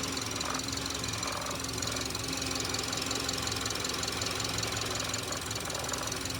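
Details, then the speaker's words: Subaru engine with a constant, fast, fairly even metallic knocking and clatter over idle just after being reassembled following repair; engine knock, cause not yet identified. "Собрал мотор. Ну, видимо, хреново как-то. Что-то бренчит. Че бренчит-то?"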